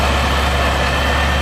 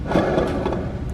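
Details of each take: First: Kraftwerks-supercharged car after repairs including a used OE alternator, cooling system being bled: steady low drone with an even pulse, no squeal, chirp or rattle; earlier engine noise gone, smooth healthy idle. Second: Kraftwerks supercharger kit idler pulley spun on the bench with the microphone right beside it: a dry, gritty rumble and rasp with vibration from a worn bearing with play; the pulley was polished from wear and a bracket stud broke.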